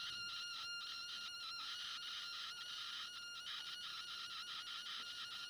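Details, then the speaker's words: Continuity tester on a breadboard using two cleaned, known-good DuPont jumper cables: steady high buzzing tone stutters and drops out momentarily; breadboard sockets still making intermittent contact. "It's still intermittent. Let's try some more pins."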